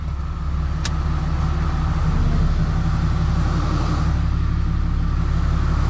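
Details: Freshly rebuilt 6.7 Cummins diesel during break-in, high idling outside to warm up for hot retorques, with the AC on to add heat: a steady, even low rumble with no knocks or misses; a normal high idle.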